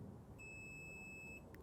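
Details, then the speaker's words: Audi TT kit car wiring test on current-limited bench supply: one steady high beep about a second long over quiet hum; loud dash buzzer pushes draw to just under 1 A; owner thinks immobilizer warning. "Oh, it's actually that buzzer is what brings the current demand up enough to hit the current limit. Because that's quite a loud little beeper."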